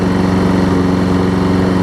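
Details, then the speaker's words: Troy Bilt self-propelled mower, Briggs & Stratton Quantum, correct primer-bulb carb replacing the wrong auto-choke one, warm and possibly nearly out of gas: a loud, steady single-cylinder drone with no misses. It smokes slightly; the owner suspects past running without an air filter. "like I said does smoke a little bit because I think it was wrong without the air filter for a period of time apart from that it runs good"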